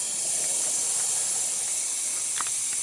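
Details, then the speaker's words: Volvo heavy-duty truck air brake system, engine off, found by spraying leak-detection fluid: steady high-pitched hiss cutting off abruptly; air leaking at a fitting whose internal O-ring is not sold separately, whole fitting to be replaced. "sprayed it with some stuff and there was huh there she blows aren't you glad i got good hearing i might have to get a new fitting here yeah i got out the car and i could hear it"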